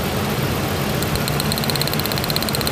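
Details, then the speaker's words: 1999 Ford Ranger with new spark plugs (old plug gap odd): steady but somewhat uneven, shaking rough idle with a faint high tick; runs smoother with one plug wire removed and misfires when refitted, cause unclear. "run drop right now running horribly rough take it off run smooth put it back on i don't understand i changed the plug out spark plug the gap was really odd i don't know"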